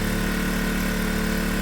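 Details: Peugeot Satelis scooter, first start during restoration, cold on the automatic choke and not wanting to rev yet: a steady, even idle with a low regular putter and no knocks or misses.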